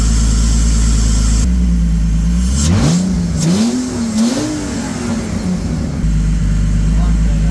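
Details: BMW E46 330ci abandoned 6+ years, after MAF, idle control valve and radiator replacement and reconnecting a broken-off hose with tube: catches and settles to steady, even idle after brief rev; issues fixed.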